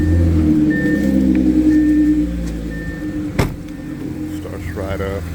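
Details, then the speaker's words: Audi C7 A6 3.0T, Stage2+, just after installing lower heat-range spark plugs: starts right up, runs smooth and steady, idle easing down to a lower even note with no misfire stumble; sounds good. "Right up. Sounds good."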